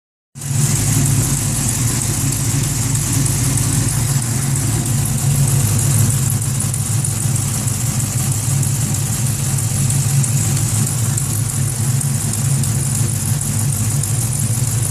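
A steady car idle carries a fast, metallic clatter that keeps time with the engine. Cause suspected, not confirmed.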